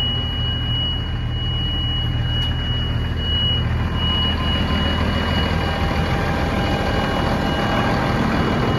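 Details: 2010 Massey Ferguson 8650, AGCO SISU 84CTA 8.4 L six-cylinder diesel, 240 hp, 5187 hours, Dyna-VT: starts and rumbles at a steady idle under a thin constant high tone, no obvious knock or miss.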